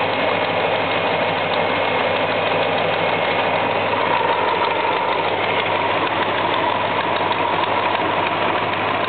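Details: 1973 Buick LeSabre petrol V8 idling steadily with a light, quick ticking through the engine note; cause unknown.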